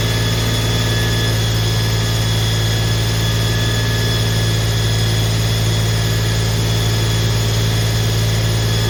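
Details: Holden HQ 308 V8, first start after full rebuild to stock spec, re-sleeved standard bores, Crow Cams 5651 cam (282 duration, LSA 114), remanufactured Quadrajet carb; smooth even idle with deep steady drone, no ticks or knocks: normal idle.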